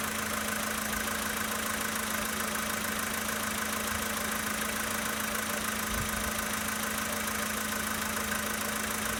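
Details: 2013 Volkswagen Polo Sedan Sochi Edition, 65,000 km, cold engine at idle: a steady fast ticking knock, roughly four per second, over an even engine hum of constant pitch; cold engine knock at idle.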